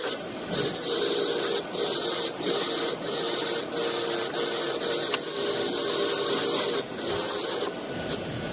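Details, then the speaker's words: Restored old IR bench grinder that overheated in heavy use, under deliberate hard grinding load: harsh rasping grind while motor hum stays steady without slowing, showing the capacitor is working; motor afterward not even warm. "Motor speed trying to slow down, but not really when pushing really hard. That means capacitor working, not letting the motor slow down."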